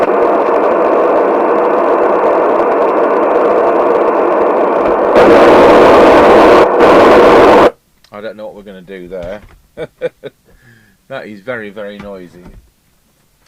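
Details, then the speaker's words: 1981 Nato 40FM UK FM CB radio, Cybernet PTBM002F chassis, loud popping audio even on PA: loud steady hiss and crackle from speaker cutting out abruptly; ultimately the faulty LA4422 audio amplifier IC, after six electrolytics replaced. "so what's this crackling all about"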